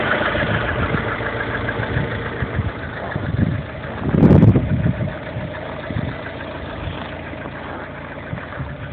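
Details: Lada Kalina with 1.4 16-valve engine running near idle: uneven low knocking under the running noise with a louder burst midway; engine knock, source unclear.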